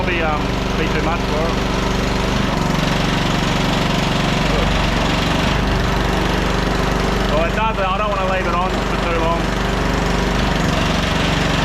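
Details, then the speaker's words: 1500 W auction generator powering a heat gun on setting one (1350 W): steady drone that holds speed as the load comes on, light bench rattle; runs fine and the gun gets hot. "all right that's on number one seems to be running it fine nice and hot"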